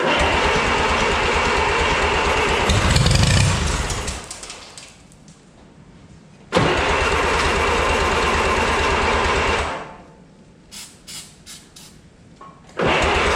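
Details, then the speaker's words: 1955 Oliver OC3 Cletrac crawler tractor, sat 20+ years, fitted with a Farmall M IH distributor and temporary coil: steady starter chug, about four turns a second, cut off twice without catching; owner suspects stuck carburetor float/needle. "well it seemed to like that minus the face full of rust that I got so I'm thinking the flute is probably stuck on the carb"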